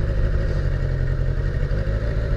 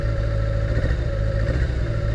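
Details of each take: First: Abandoned Kawasaki GPz550 four-cylinder motorcycle, thought to be a 1981, running with untouched carburetors: a steady, even low burble with no misses or knocks over four seconds, seemingly running on all four cylinders, though probably low on gas. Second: Abandoned 1980s Kawasaki GPz550 yard find, just revived: giving one cylinder's carburetor throttle gives low, lumpy, uneven running with a wavering beat versus smooth when all four are opened together; carburetor imbalance.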